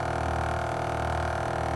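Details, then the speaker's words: LG air conditioner outdoor condenser unit, used for several years, standard non-inverter: steady droning buzz over the hum from a loose plastic cover panel vibrating; pressing it silences it; fix is tightening or loosening the screw, or removing the cover. "นะครับจุดนี้เอามือกดไปเงี่ยบนะครับนะครับมันจะดังไอ้ตัวฝาปิดตรงนี้นะครับมันอาจจะใช้งานแล้วไปนาน"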